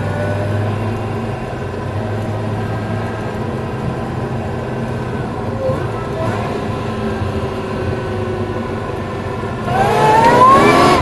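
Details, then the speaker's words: Supercharged LS1 V8 ute on road drive-by under acceleration: engine pulls hard with a rising blower whine building over the exhaust as revs climb; normal supercharger sound. "The sun's probably not real good, but just to hear this thing sounds pretty good. The blower starts whining."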